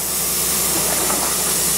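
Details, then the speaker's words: Skoolie bus air brake system while pressure builds: steady, even high-pitched hiss from a leaking front air brake fitting, a simple fix. "Oh, you're hissing. What's that front one up here? It's leaking."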